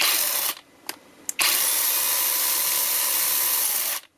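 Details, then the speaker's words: Counterfeit Makita DUC302Z brushless cordless chainsaw that intermittently starts and stalls in wood, batteries ruled out: motor whirs up, dies after half a second, twitches twice, runs about 2.5 seconds, stops; suspected faulty controller, to be replaced. "Проблема не йде. Тому будемо зараз розбирати її і швидше за все проблеми в контролері і буду ставити новий контролер."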